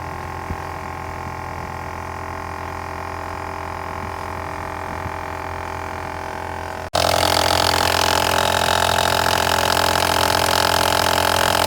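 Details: 2006 Toyota Solara at idle: steady engine, then sudden loud rough grinding roar as the AC kicks in; AC grinding noise.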